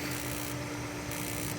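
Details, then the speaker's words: Raypak (Rheem) swimming pool heater after burner and jet cleaning, first firing with door off: steady electric buzz of the igniter sparking repeatedly; air in the small pilot line after disassembly delays lighting, possibly three to four minutes. "can hear the buzzing that's the igniter trying to spark it might take a while because from taking that apart there's a lot of air in that there's a small pilot hole and it has to get all the air out before it'll fire"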